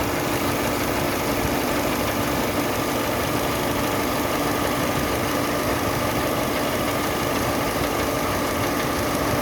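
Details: Chevrolet Sonic idling at 800 rpm after an AC compressor leak repair: new internal O-rings, flushed system, new drier. Vent air is 3°C against 35°C outside, with about 70 low side and 125 high side. A steady compressor hum with no clacking or cycling: normal operation.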